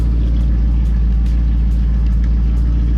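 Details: Pontiac G8 GT V8 with longtube headers, straight-pipe exhaust, Vararam intake and tune: loud, choppy, cam-like lope about once a second after a trip; the owner suspects a dirty MAF sensor, cause unconfirmed.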